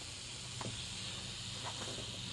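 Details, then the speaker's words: Mayfair FT-102A rim-drive tape recorder amplifier with an RCA transistor under test: constant steady hiss, no hum or rhythm, while now amplifying; noisy transistor, later swapped for a quieter one. "although it's amplifying the noise is just insane it's ridiculous"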